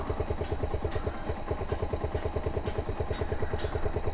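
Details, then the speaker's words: Suzuki SZR 150 single-cylinder engine idling after repair of a stretched timing chain that had made it noisy on first start. Smooth, regular idle beat with no top-end rattle or clatter; quiet, even and healthy. "Diba? Okay na. Normal na sa pandinig ko yung tunog ng makina. Kaya hindi na siya nakakairitang pakinggan."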